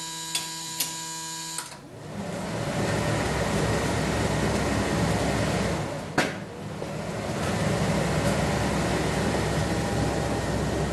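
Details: 1976 Corvette restomod with Holley Sniper EFI, battery just installed, ignition on, engine off, fuses 4 and 5 pulled: a few clicks, then a steady airy whoosh; electric cooling fan runs when it shouldn't, no fuel pressure, cause unconfirmed.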